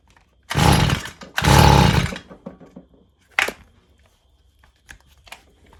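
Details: Stihl FS 55 brushcutter, previously not starting despite new plug and carburetor, fixed by clearing a clogged exhaust: two short bursts of high buzzy revving, then quiet; fires and pulls up cleanly.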